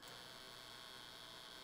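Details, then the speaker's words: ZK-PW500 boost converter, 24 V input, 48 V output at about 6 A, gives a loud steady high-pitched inductor buzz; heavy load, thermal image shows about 130°C. "a wejście wynosi 24 wolty, robi dużo hałasu"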